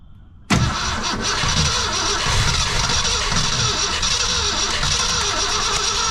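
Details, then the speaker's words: 1966 Ford Fairlane 390 FE V8, first start attempt in about 20 years: steady fast cranking that never fires; carburetor getting no fuel, it needed a steady stream of gasoline poured in to run. "And I'll tell you what I had to do to get her running. She took a steady stream of gasoline."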